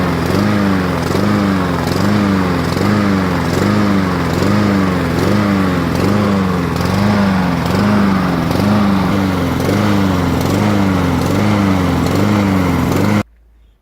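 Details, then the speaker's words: Neighbour's lawn mower, fuel at least 2 years old replaced, started with fuel on air filter: engine speed swings up and down about every second; surging on the governor and running very rough, no mechanical damage found. "It ran super rough, revving up and down with the governor. You can hear that in this clip."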